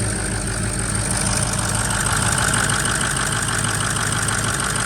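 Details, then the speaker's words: Ford Powerstroke diesel F-250 pickup with no codes; injector 8 gave no click, possible FICM issue. Power balance at idle: lumpy, stumbling beat about three times a second as cylinder 8 is completely dead; compression and blow-by still to be checked. "Oh, sweet Jesus. All right. Yeah, so cylinder 8 is just completely gone."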